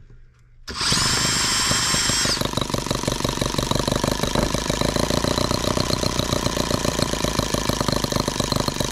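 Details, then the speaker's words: Microcosm H76 twin-cylinder model engine after valve lapping and new rings, started at low speed, slightly warm: briefly fires on both cylinders, then settles into an uneven, lopsided beat, missing on one cylinder; valve clearances still correct. "try it again I guess you're missing again and we're back down to one cylinder wonderful isn't that great guys"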